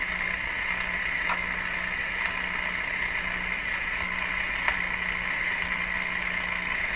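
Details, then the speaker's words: Viking EMU61 tube radio: a steady low tone drops out and returns over hiss. It is believed to be a signal injected into the chassis that couples capacitively into the audio off the speaker. The chassis grounding capacitor and resistor get replaced. "you can see what's happening now is the belief I'm injecting a signal into the chassis that signals going up and down the chassis it's working its way into the radio somehow through capacitive interactions coming off the speaker"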